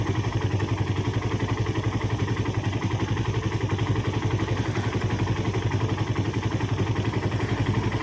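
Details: Suzuki Satria FU that had a rough engine sound from a worn timing chain and tensioner, heard after the oil had circulated: an even, steady exhaust beat about two per second, smooth with no clatter or ticking.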